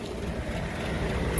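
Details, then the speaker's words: Rooftop condensing unit of a walk-in freezer not staying cold, heard from across the roof: even, steady low hum and rush with no rattles, knocks or surging; heat coming out, compressor running smoothly. "all right let's get on the roof right i can hear it running from here so you trudge across this frozen tundra feel some heat coming out compressor sounds good"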